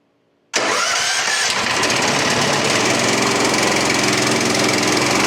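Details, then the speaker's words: Brand-new 15 hp engine on a freshly assembled MechMaxx P4205 5-inch wood chipper, first start on choke with throttle left up: catches at once and holds a steady high-revving roar, no misses or knocks; drum works as it should. "I didn't have it turned down, and so it started revving right away. I didn't mean to do that to a brand new engine."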